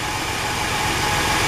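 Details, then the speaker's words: Car engine at idle, ticking heard from driver's side, oil a little low; light quick valvetrain tick; owner suspects dry lifters. "okay still little low but it's ticking now it was a little louder"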